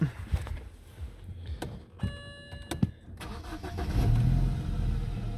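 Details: BMW 318i, 6-speed, sold as spares/repairs with airbag, ABS and traction lights on: key and handling clicks, short crank, firm catch, rev blip settling to smooth idle; starts normally.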